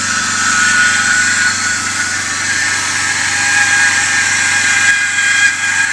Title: E39 525i Umlenkrolle defekt, Geräusch / Bad pulley noise